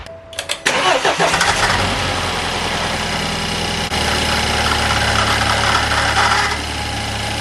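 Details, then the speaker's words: BMW 328i F30 N20 after oil filter housing gasket replacement and cooling system bleed, first start: fast idle with rough gravelly grumble fading after seconds; alternator noise, owner suspects coolant got into it, wisps of smoke. "so the alternator was making some pretty grumpy noises there at first i think some coolant must have gone in it it's cleared up now"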